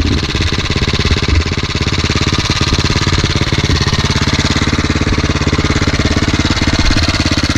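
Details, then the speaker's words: KTM 525 single-cylinder motorcycle: lumpy, uneven thumping that stumbles and won't pick up; the engine chokes and bogs on throttle. "Nie widzisz, że on się kurwa dławi z gazem?"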